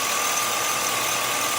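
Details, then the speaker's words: Truck drive belt at idle, squeak returning as the belt dries from pulley heat: thin, steady high chirp; tensioner barely moving so tension seems good, drive belt replacement recommended. "I don't see very much movement in that, so I'm pretty sure that tension is good. But see, now it's starting to squeak again, the belt."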